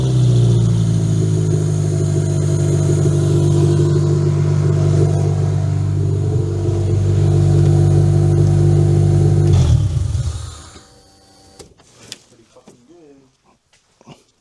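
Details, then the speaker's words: Toyota Camry demolition derby car after getting it to run: strong, even engine note holding high revs with steady pitch, then clean drop to shutdown; runs very well, normal engine running. "I say that runs good. Steven agrees. That runs really, really good. My ears hurt. I think all the neighbors know it runs now too."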